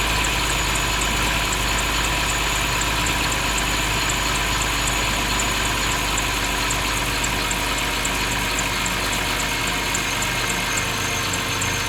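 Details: BMW 530i at idle. Steady idle with a thin, high squeak repeating three to four times a second; the source of the squeak is unknown.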